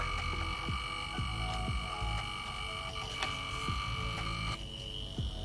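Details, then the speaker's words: PC component coil whine: thin, steady high whine at several pitches with chirps, one tone dropping out when the suspect component is pressed lightly with a plastic tool, pinpointing the source. "where the co wi seems to come from you can just press lightly on that component and if that cowi goes away you know there's an issue with that specific"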